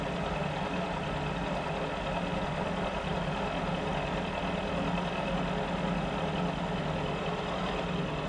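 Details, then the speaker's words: Mill spindle after repair, cutting under load at 1 mil depth of cut with a possibly dull cutter: steady, even low-hum drone without knocking or chatter, better than before repair; normal milling cut. "That sounds a lot better than what it did last time at the same depth of cut. Be 1 mil depth of cut."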